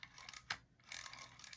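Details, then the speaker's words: DAM Quick 101 spinning reel after cleaning, greasing and a floppy-handle fix, rotor turned back: quiet, even clicking in short bursts, much quieter thanks to grease on the anti-reverse; anti-reverse works normally. "it does but did you notice how much quieter it is that's because of that grease that we put on that anti-reverse they quieted it down"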